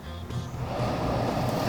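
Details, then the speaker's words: Whirlpool dryer after its damaged blower wheel was replaced and the lint-plugged exhaust vent and screen were cleared: a steady low rush of air builds as the outside vent flap opens, with no rattle or scraping. Normal dryer exhaust airflow. "now that I got the uh vent cleared out he's going to run inside and start the dryer and let's see if the flap opens after we've cleaned it"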